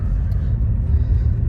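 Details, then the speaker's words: Deep engine rumble builds evenly from a standstill with no clunk or thump in a 2003 Honda CR-V after new motor mounts reinforced with 3M window weld; very smooth, no front movement. "That was very smooth. I mean, except for the engine revving, but that was very smooth. I didn't feel any movement in the front, so this is actually very nice."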